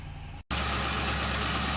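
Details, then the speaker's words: 2006 Ford Crown Victoria Police Interceptor V8 idling right after an oil change and new air filter following a road trip: after a short dropout, steady even low hum, no knocks or misses; healthy idle. "oh that sounded good now let's check it for leaks"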